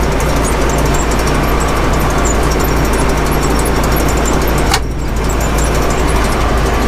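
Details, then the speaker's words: Gleaner combine being revived for first harvest in about 20 years, after raddle chain and bearing replacement, run up: loud steady engine drone turning over evenly, no clanging or banging; running smoothly. "man we can even run her up she's just as quiet as can be no clanging no banging"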